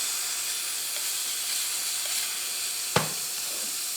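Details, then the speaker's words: Transfer box on bench pressurised with regulated air, soapy water applied: steady fizzing hiss with crackling bubbles from the end cover; air leak at transfer box end cover. "now we'll get some soapy water oh it's out of this end cover look at that"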